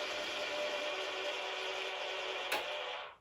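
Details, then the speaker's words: Model railway Cobalt point motor on baseboard, temporarily wired to home-built box-file mimic panel; steady small-motor whir about 2.5 s, then firm click as it completes its arc, throwing normally. "And then solidly clicks across as the point motor moves all the way through its arc."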